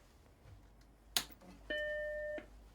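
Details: 1986 Apple Macintosh Plus with 4 MB RAM, powered on with no hard disk: a click, then one clean bright chime under a second before quiet; normal startup chime.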